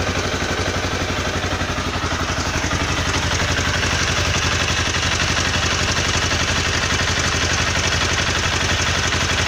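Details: Honda CBR 250R engine runs with a quick, steady metallic ticking (tik-tik/knocking) over its hum; cause unknown.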